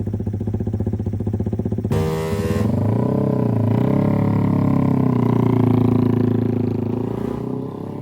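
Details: Yamaha Jupiter MX with 65mm bore-up, after rebuild and test ride: even idle putter, then smooth rev rising and easing off cleanly, no knock or rattle; engine healthy.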